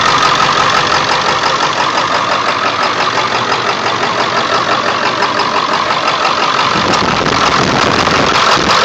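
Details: 1999 Ford F350 7.3L diesel, cold start after sitting for days, plugged in overnight, no check-engine light: diesel idle clatter with an uneven loping beat about three per second; shakes badly; cause unknown.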